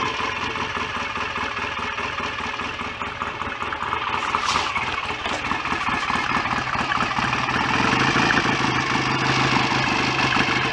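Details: BSA A65 twin after rebuild, rotor moved on its taper to advance the ignition further; even, regular idle beat with no knock or clatter, oil circulating, no smoke. Normal idle.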